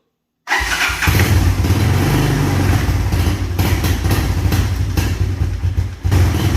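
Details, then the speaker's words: Carbureted 1986 Honda TRX200SX Fourtrax ATV with big-bore 200 single, cold start, fuel turned on: fires right up and settles into a steady, even thump with no knocks or misses; healthy cold start. "nothing bad to say about this atv it runs unbelievable um the fire's right out uh it's carbureted so you know you have to work the choke"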